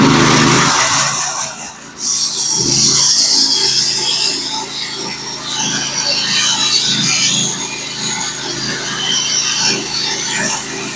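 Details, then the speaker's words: Norwood HD36v2 sawmill cutting 1x6 fence boards with a Stellicut band that has about 1000 board feet of use, fed slightly slowly: steady, even band hiss over the engine drone with no chatter; smooth, healthy cut. "I don't know if you guys can hear it through the noise cancelling but this band is really cutting great right now still it's cutting nice and smooth very very predictable good feedback"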